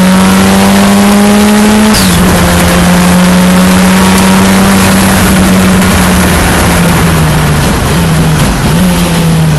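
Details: Ford Escort Cosworth race car in first practice at Knockhill, May 2024: engine held high on the rev limit with a rough, uneven note and brief stumbles near the end; an intermittent misfire or ignition cut-out, cause unclear.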